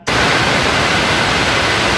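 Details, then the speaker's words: Pneumatic roller-lever limit switch valve with supply correctly on port 1 stays silent until the roller is pressed, then gives a sharp, clean hiss of exhaust air for about two seconds. This is normal actuation. "Tapi ketika dia ini teraktuasi atau tertekan, dia akan mengeluarkan udara."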